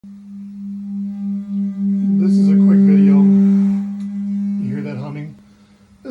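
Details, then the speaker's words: Whirlpool or AO Smith water heater tank: loud, steady foghorn-like hum of heavy vibration that swells and fades, caused by the burner. "if you are hearing this noise it sounds like a heavy vibration or possibly like a foghorn it's your burne"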